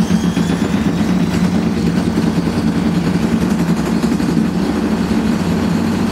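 Heavy, constant low roar through the whole spin with no let-up, the deep growl of badly worn drum bearings.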